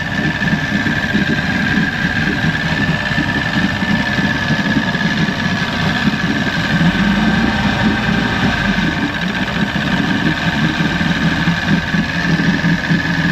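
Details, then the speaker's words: 1996 Force 120hp two-stroke outboard on a Bayliner Capri, warming up after cold start on warm-up lever: settles into steady, even burble, no knocks or stumbles; running fine. "We'll get her warmed up. It's being good."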